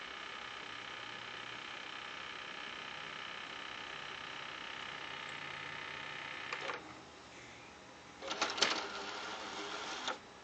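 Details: PS3 with a disc in, noise started today: steady whir from the spinning disc broken by harsh scraping bursts near the end; disc drive grinding, cause unclear.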